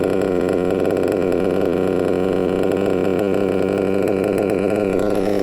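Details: Nitro RC engine after clearing a fuel blockage and raising a slightly low tick-over; steady, even high-pitched buzz holding constant speed without stumbling or surging; normal running.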